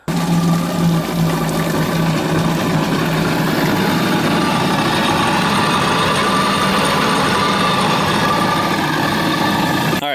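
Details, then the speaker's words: 2007 Yamaha VX Cruiser jet ski after flushing to fix surging/bogging, run on a garden hose out of water: smooth, steady idle for ten seconds with no surging or misses; load untested. "so as you saw edit running off the hose flushed everything out seems to be running all right won't know until I have it on the water once it's under load"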